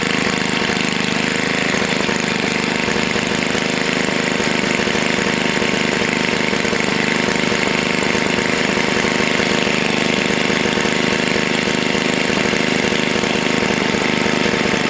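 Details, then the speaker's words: Long-sitting Tecumseh HS40 small engine restarted after carb cleaning, one jet still uncleaned, held at low rpm on purpose: steady low idle with a buzzy even beat, no misses or knocks; normal low idle. "usually when i awaken engines i don't like them to be at full blast i like to let them be low rpm for a little while"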